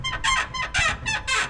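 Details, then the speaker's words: XC suspension: rapid high rubbery squeaks, about three a second, from sway bar rubbing on chassis; fix planned by dropping sway bar via link nuts. "And it is actually the sway bar rubbing on that part of the chassis, which I'm sure you'll agree it's none too good."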